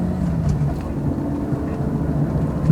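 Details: 2001 Jaguar X-Type 2.5 manual, 107,000 miles, rear knock after MOT; test drive over bumpy lane after replacing rear upper control arm (ARB bushes, drop links, lower arms done before): steady road rumble, no clunks; only very slight rear noise remains.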